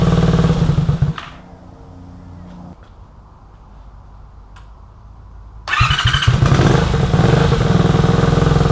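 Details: 1983 Honda VT250 V-twin, about 63,500 km, just revived project bike with freed seized carb slides: even idle with steady beat, no knocks or rattles; engine healthy, though it still needs a tune-up and clean.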